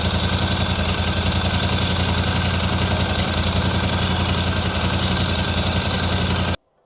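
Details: VOGE 800 Rally twin-cylinder after hard off-road rally use, idling cold: fast, light rattling tick about three or four a second over exhaust; suspected timing chain rattle, advised to report to dealer or wait; not confirmed.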